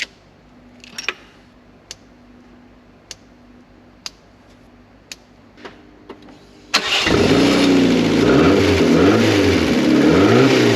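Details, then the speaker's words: Mk4 Ford Fiesta, non-runner unstarted for over 4 years, after crank sensor replacement: a few faint ticks, then it starts at once and revs up and down cleanly; faulty crank sensor was the problem all along. "she runs crank sensor what's the problem all along"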